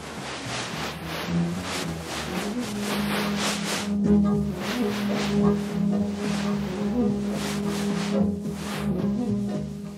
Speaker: écoutez maintenant un bruit de vibrations qui souvent se modifie en fonction de la vitesse du véhicule